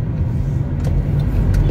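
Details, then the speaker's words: Honda on Westlake tires bought around March, recorded while driving: steady low droning rumble with no grinding or rhythmic knock; mechanic judges it tire tread noise, normal, not wheel bearing. "Sa gulong yung ingay. May anong problema? Ano sir, sa thread yun eh. Sa may ng gulong yun eh. Yung pinaka-thread niya."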